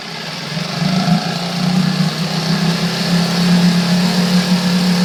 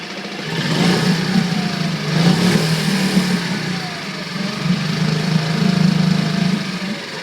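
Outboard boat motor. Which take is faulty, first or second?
first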